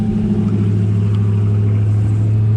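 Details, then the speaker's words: 2019 Dodge Charger Hellcat supercharged V8 idling after E85 flex fuel kit installation while checking for fuel leaks: deep, steady, even rumble, no knocks or misses; started nicely, running well, no leaks. "Seems like it started up nice. Seems like it's running good."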